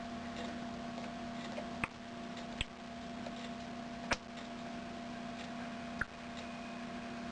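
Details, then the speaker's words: 1938 Philco 38-15 tube radio after all capacitors replaced, at full volume on about 110 V: only low hum, hiss and tuning ticks, no station; one band works, the other gets nothing. "and that only works on one of the brands i don't seem to get anything out of the other band not sure which ones which right now"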